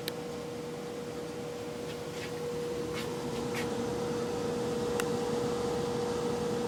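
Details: Brand-new Venmar EA-1500 air exchanger: a steady mid-pitched hum over a soft airflow hiss that carries throughout the house. A replacement unit made two noises. Cause unclear. Humming noise.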